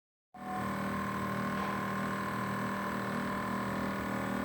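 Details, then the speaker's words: LG inverter air conditioner outdoor condenser unit running: steady humming drone with a thin whine on top, varying over time; abnormal annoying noise, cause undetermined. "esse é o barulho que dá, ó. Você imagina isso à noite, cara, nossa. Aí ele vai variando."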